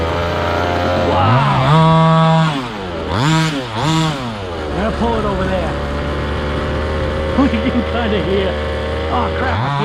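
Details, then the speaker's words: Stock 1:5 scale RC car during carburetor tuning, after leaning it out slightly: small single-cylinder buzzes at a fast, high idle between throttle blips, settling back too high. Idle set too high; owner turns it down. "sounds like i could turn that idle down a little bit"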